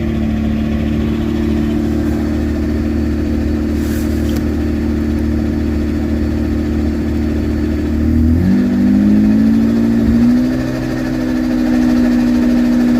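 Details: Supercharged engine on a standalone ECU with its idle control stepper motor removed, first runs after about 5 years, smoking: idle holds steady, dips sharply around eight seconds and recovers at a different pitch, hunting; unstable idle.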